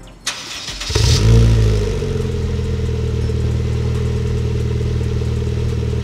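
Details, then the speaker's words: GD3 Honda Fit 1.5 L with short ram intake, first start after HKS Hi-Power muffler install: brief crank, quick catch, short flare, then smooth, deep, quiet idle; surprisingly quiet, healthy engine. "Surprisingly quiet. I'm sure it'll sound different once we give it a little rev."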